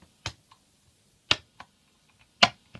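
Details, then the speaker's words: Guitar effects pedal between guitar and amplifier at low volume: sharp loud clicking pops through the amp at irregular intervals when switching; owner suspects a faulty footswitch or bad solder joint on the circuit board. "There's that clicking noise, that very loud clicking noise. I'll see if I can hold it closer to the amp so you can hear it."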